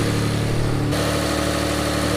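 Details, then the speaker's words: Mitsubishi 3000GT VR4 twin-turbo 6G72TT V6, first start after oil pump replacement with good oil pressure: even steady idle with a slight step in tone as it settles, no knocking or ticking; normal running. "Let's see if she leaks. We're gonna start her up. Thing sounds great."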